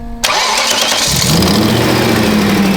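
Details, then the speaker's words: BMW E39 540i V8 after a sensor tip was ground down and refitted: cranks, catches, settles into even idle, knock gone, only a faint tick from an exhaust leak. "The knock is like gone. There's a little tick from an exhaust leak, but like we're good."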